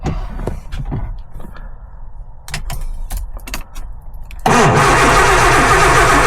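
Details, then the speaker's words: Lotus Elan started for the first time after 3 years off the road: even cranking at about four turns a second with oil pressure near 4, but it won't fire. The fuel light is on and the owner suspects too little fuel. "nothing right let's put a bit more fuel in cuz the fuel light came on"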